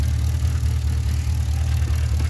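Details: Pontiac G8 GT V8 at idle: deep exhaust with uneven, lumpy pulse from a misfire plus a loose rattle from the muffler; cause of misfire not yet found.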